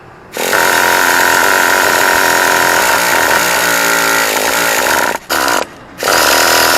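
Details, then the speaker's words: Traxxas T-Maxx 2.5 nitro RC, used, fifth failed attempt, primed with fuel flowing from carburetor and exhaust, 20% fuel, 1-2 mm carb gap; steady high starter whine for several seconds, no firing: cranks but won't start. "I'm not losing my patience but it should at least turn on I mean I'm trying to do everything in a right way"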